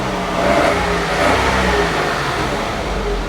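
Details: Smart car engine after repair, previously knocking (cause found to be a worn clutch, not the engine): steady, even engine note rising smoothly under throttle, no knocking or tapping; normal running.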